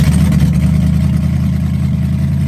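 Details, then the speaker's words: LS-swapped Crown Vic V8 restarted after a forgotten connector was plugged in: deep, even, burbling idle with no misses; intake valve leakage was noted earlier but it runs all right. "all right well I guess the next step from here everything seems to be running all right"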